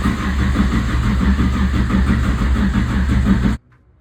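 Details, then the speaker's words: Forgotten Nova racecar just bought, cranking to build oil pressure (about 6 lb reached): even cranking about three turns a second, no firing, then stops; turns freely, healthy cranking without firing. "okay come on this is sounding good if we can get this thing to build oil pressure this is where we find out we made a good"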